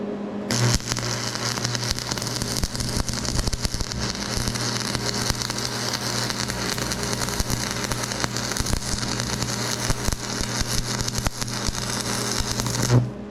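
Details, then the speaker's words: Used $200 stick welder on AC, burning 7014 rod after working on DC positive; steady, even crackle over a low buzz, no popping or sputtering; smooth, stable arc, welds fantastic. "beautiful thing works fantastic that 70 14 Rod I'm burning so fantastic"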